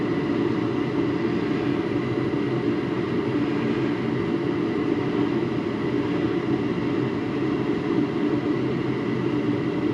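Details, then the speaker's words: Garage heater converted from natural gas to propane, during the manifold pressure test with the manometer dead on 10: steady even roar of the gas flame, no fluttering, popping or surging; burner firing properly. "All right, it is dead on at 10. Burning real good."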